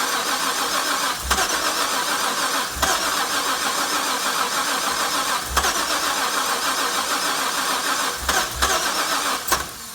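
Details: Supercharged LS1 that threw a crank position sensor fault; a new sensor was fitted, then it backfired and stalled, and was refuelled. Fuel pressure reads 60 psi while cranking, no check engine light: repeated cranking bursts, never catches; crank, no start.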